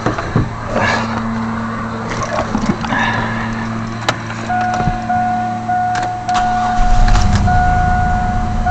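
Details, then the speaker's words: 1999 Chevy S10 just after cleaning mass air flow sensor and throttle body, cleaner in intake: engine catches and holds steady even idle, leaf blower in background, no stumbling; running much smoother, settling near 900 rpm; normal idle. "yeah, it's running good. I'll let her run just a second and pick up her idle."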